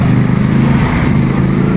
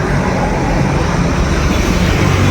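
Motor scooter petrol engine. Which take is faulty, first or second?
first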